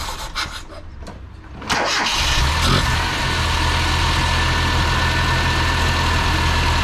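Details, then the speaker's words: Mitsubishi Sigma after replacing the dead Mikuni carburettor with a 32/36 Weber and swapping in a jet from a Corolla: cranks, catches within two seconds and settles into a steady, even idle; improved, still needs fine tuning. "Alright, that's made a difference, which is really good. So just need some fine tuning by the looks of things."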